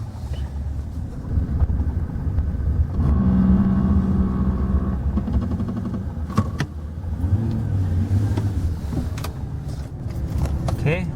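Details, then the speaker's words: 2008 GM round-body 1500 heavy-duty pickup rolling to a stop: coarse buzzing grind at walking pace, under about 5-10 mph, false ABS activation from debris on the wheel speed sensor, mistaken for grinding brakes. "I will certainly make the sound happen as the ABS first kicks on but as soon as I get moving it shuts off"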